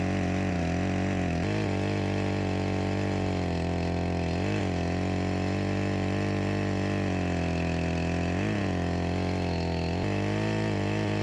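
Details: Echo CS-352 chainsaw repaired with a new carburetor and gasket after starting then dying, cold-started and cutting: steady two-stroke drone at an even pitch with only brief dips under load; clean, healthy running, with a slight bog blamed on a chain needing sharpening.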